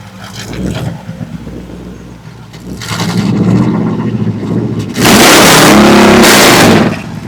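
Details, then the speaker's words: 1967 Pontiac Firebird hot rod with built Chevy 400 small block, Turbo 350 transmission and dual straight pipes: short harsh scrape while cranking, then the V8 fires and revs loud; starter slightly off the flywheel, not meshing cleanly, deemed no big deal. "Now, Steve, that sound when he went to start it, the starter was just off the flywheel a little bit, right?"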